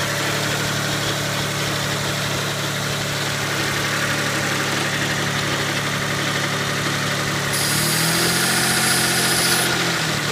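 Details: 1992 GTO twin-turbo at idle: quick light tick over a constant airy hiss; suspected lifter tick and vacuum leak, not confirmed.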